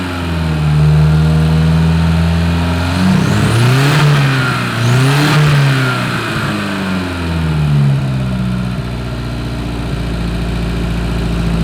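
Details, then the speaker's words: Porsche 924 Turbo, sat for years, after plug work, suspected bad old fuel: engine picks up cleanly on two blips and drops back to a steady, even idle; now running well. "put the exhaust back on it that might help seem to be running pretty good now"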